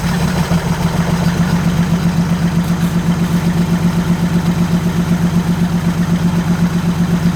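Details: 1947 Chrysler Royal old flathead after sitting, idling in neutral: even, steady low idle with smooth regular beat, no knocks or misses; runs normally, though a major oil leak is noted.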